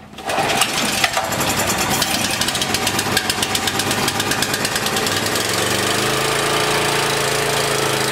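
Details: Small generator, low-oil shutdown disconnected, running on choke: stumbles and pops unevenly, then steadies as carb spray is applied at the rear intake; suspected air leak at the carburetor insulator block, not confirmed.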